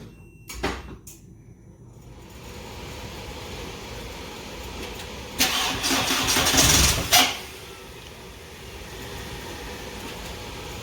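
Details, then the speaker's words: VW Beetle first start after replacing an oil pan holed in a crash, with metal slivers found in the pickup: after about two seconds of cranking the engine catches with a light clatter, likely while oil pressure builds, plus an exhaust leak. Engine cranking and catching, slight clatter. "Sounds good. This thing sounds real healthy. Yeah. Well, the good news is it's probably building oil pressure if it can build oil pressure. Yeah. That's a little clattery."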